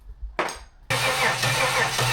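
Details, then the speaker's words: Budget supercharged L67 V6 swapped into a WH Caprice, first fire-up after new ECU programming. It cranks steadily but won't start. The owner suspects it's choking because the belt isn't fitted. "No bueno. Unless it's choking because it doesn't have the belt, and therefore it's not pulling air and it's not telling the engine that it needs. That's possible."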